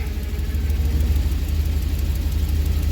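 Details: 2005 one-ton Chevy Express van V8 after replacing a part for a cylinder misfire; deep, even low rumble with steady beat, no miss or stumble; idling smoothly, no codes.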